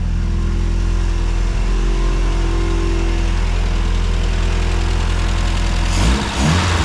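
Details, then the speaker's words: 1970 Mini Cooper S Mk3 after carb rebuild and timing set: low, even burble at a steady idle, then a quick blip near the end. Runs smoothly and healthy. "oh yeah beautiful I'm so happy that it's running w sounds good"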